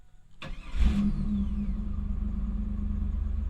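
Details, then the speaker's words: 1999 Pontiac Firebird, 158,000 miles: brief crank then immediate catch, settling into a smooth steady idle with an even low hum; fired right up, normal start, security and seatbelt lights on. "yeah fired right up"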